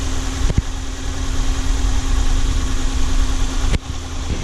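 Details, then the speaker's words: Ford Focus 1.6 after rebuild for engine knock, with new oil and new coolant, warm idle: smooth even low hum with steady tone, no knocking or ticking; engine sounds healthy, cold start still to be checked. "вот так вот работает двигатель но завтра я еще на холодную его заведу послушаем Как он работает на холодную"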